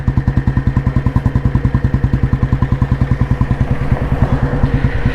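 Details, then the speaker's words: Restored 1986 Royal Enfield Bullet, heavy-crank engine with indoor silencer, exhaust note while ridden at low road speed, about 30 km/h: deep, even single-cylinder thump pulling cleanly without a dip or stumble; healthy. "ഇത്രയൊക്കെ വണ്ടി പോയിട്ട് ഒരു dip വരെ അല്ലാതെ വണ്ടി ഇതിൽ നിന്ന് ഇങ്ങനെ എടുത്തിങ്ങനെ പോകുന്നുണ്ട്. 30 സ്പീഡിൽ വണ്ടി ഓടുന്നുണ്ട്."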